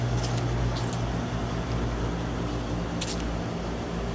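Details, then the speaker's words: Old Bryant heat pump outdoor unit: steady low drone with an uneven, rough, coarse rumble underneath, louder than a healthy unit; sounds bad, cause not determined. "guys here's some here's some units there they're old Briant T track this one sounds not good this one sounds horrible"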